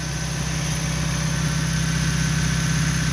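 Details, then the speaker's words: Unmodified old Toyota truck engine at idle, settling down as the fan clutch slows: steady, even, smooth drone with no timing belt slap, knocking or valve ticks, exhaust manifold not cracked; a perfect-running normal idle. "running good no timing belt slap no knocking no valve ticks [Music] it's a perfect running example it's going to idle down here once the fan clutch kind of stops moving"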